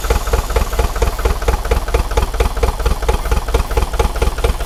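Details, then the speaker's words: Neglected Bobcat T595 diesel, frozen, first run after cold cranking with glow plugs. Heavy, lumpy chug with uneven thumps and smoke, running on only one to three cylinders: multi-cylinder misfire. "She's chugging, but it's smoking. We really shouldn't see any smoke coming out of it, but it's only running on 1 or 2 cylinders at the moment. Maybe 3."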